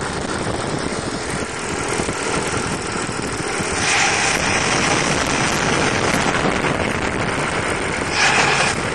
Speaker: open oh I love the sound of a big block in the morning